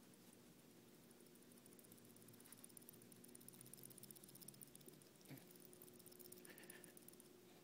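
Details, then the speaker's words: Les Paul guitar with a Tune-o-matic bridge causing string buzz, shaken by hand: faint, irregular metallic ticking and patter from loose bridge saddles that visibly move. "so there's definitely some loose stuff going in here and kind of moving it around with my hand you can kind of see a little bit of movement in a few of these saddles"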